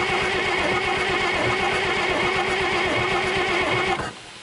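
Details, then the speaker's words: International DT466 diesel with 5-speed, first start in 8 years, injector pump rebuilt and new turbo before it was parked, primary fuel line leaking; cranks unevenly, spits and sputters but won't run because the stuck fuel shutoff wouldn't open fully. "it was stuck and it wasn't off all the way and uh where it was off all the way and I couldn't get it to get on all the way so uh I guess I moved it enough to get it to spit and sputter"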